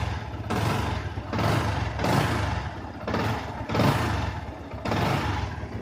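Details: Yamaha R15 small motorcycle engine runs steadily with short throttle blips and no whistle or whine, after fixing whistling by replacing the water pump oil seal and bearing; normal idle.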